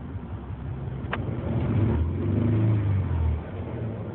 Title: 93 Ford Explorer rough idle, mis fire